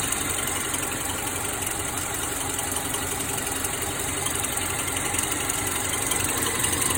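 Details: 2009 Subaru Forester idling with AC on: a light repeating chirp, about four a second, starts in reverse, continues in drive and stops when shifted back to park.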